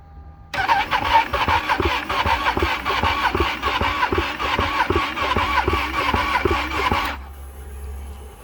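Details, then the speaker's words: Ducati Panigale 1299 after winter storage with battery disconnected, first start attempt: steady starter churning pulsing about once a second for six seconds without firing; extended cranking, hard start, later push-start tried. "Вообщем фокус не удался, с первого раза не завёлся Пришлось изрядно покрутить, даже попробовал с толкоча"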